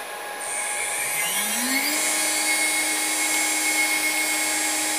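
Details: Newly installed spindle with new VFD on a 6040 CNC router, commanded 20,000 rpm (reading about 21,200): high whine rises smoothly over two seconds, then holds a steady, clean pitch at full speed; spindle runs normally.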